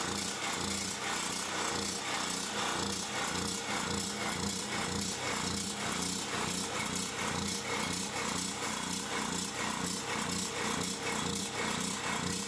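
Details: Champion 3500 W generator after carburettor cleaning, having sat all summer with old gas and run only on full choke; steady even drone, regular beat about two per second, no misses or knocks; normal running.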